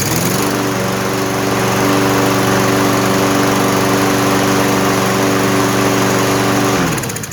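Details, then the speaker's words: Toro 163cc lawn mower that would not run, after refuelling and cleaning the carburetor, air filter cover off; steady even drone at constant speed for about six seconds, no surging, then clean shutdown. Cause was likely bad fuel. "Alright, there you go. That was the problem. Pretty sure it was just a bad fuel, but since I had a part, I cleaned the carburetor as well."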